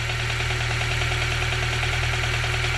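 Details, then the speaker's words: Honda Civic EP2 with K-series engine swap, idle control valve deleted, warming up after thermostat opened, slightly rich: quick regular light ticking over steady idle, distinct from injector sound; new noise, source unknown. "i don't know if this ticking noise is right at all mate"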